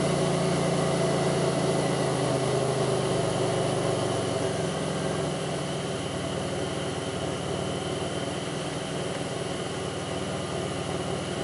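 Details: '02 Pontiac Grand Prix 3800 rough idle: uneven low idle with a wavering beat and occasional dips over a steady hum, faint intermittent thumping pulls idle down, no check-engine light, alternator overheats; cause not clear.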